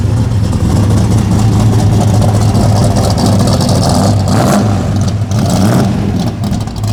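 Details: Idle of apparently a '78 Pontiac Trans Am Smokey and the Bandit tribute (Hurst-equipped, T-tops), just started: a steady, deep, even V8 burble with a smooth rhythm and no knocks or misses. Normal, healthy idle.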